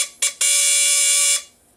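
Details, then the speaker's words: CNC stepper motor, partly disassembled: brief chirp then loud steady high-pitched even whine; normal stepper motor running. "Here is our motor. Does it work? Of course it does. It's a little concerning as it falls out, but it does still work, you see?"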